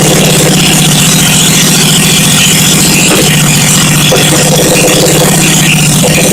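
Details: 1971 Honda SL350 first start after engine rebuild, kick-started on choke, carbs primed, points ignition on temporary battery feed, no throttle cable: quick, even twin exhaust beat holding steady, no knocks or misses; engine runs fine.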